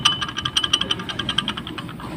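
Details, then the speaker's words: 2018 Ford Raptor IWE hub actuator, axle removed: quick bright metallic clinking, about eight a second, from a dry ungreased ring rattling inside; actuators not bad, fixed by greasing. "That's this rattling in there. So, what you do just lube it up and remove it 3/8."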